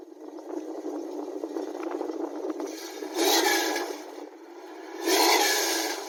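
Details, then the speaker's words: 1970 Dodge Dart Swinger V8 with Dynomax exhaust, around 30°F, heard from behind the car: two clean rev blips with no ticks or knocking; runs smooth, no smoke. "Sounds pretty good, don't it? That shit runs real smooth. No ticks, no smoke."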